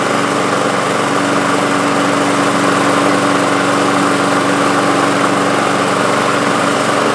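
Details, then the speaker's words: Toro Recycler Personal Pace self-propelled mower, model 20332, after a transmission/gearbox repair: the single-cylinder engine starts on the first pull and holds a steady, even buzz; normal running. "It's working. It's a good running mower too. It starts on the first pull."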